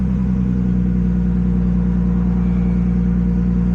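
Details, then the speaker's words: Nissan Skyline R32 GTS-T just after start, in after-start mode while sorting crank trigger settings on the ECU: deep, uneven rumble that never settles into a clean idle; trigger issue suspected, cause unclear. "Oh, that sounds terrible. Okay, so we're gonna leave that alone."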